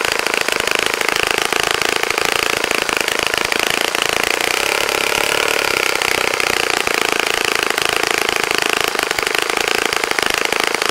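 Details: Saito FA-65 glow four-stroke model engine, first run after rebuild, APC 12x6 prop, Morgan's Omega 10% fuel, Fox Miracle plug, heavily primed to start: high, buzzy, even drone held at high revs with no misses; runs nicely.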